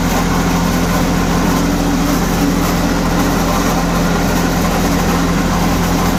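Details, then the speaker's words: Old diesel light tower generator, sitting unused for years, first run after fuel system work: engine runs steady and smooth, but rough constant drone from generator side; owner fears something dropped inside. "something sounds gnarly up there in generator side but it does run that's a good sign over there something is not happy inside this generator unit"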